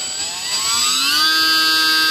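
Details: E-flite UMX J-3 Cub electric plane after replacing the prop with a factory prop: clean, steady motor tone rising smoothly to a constant pitch without wobble or buzz; prop spins true and balanced, "night and day" difference.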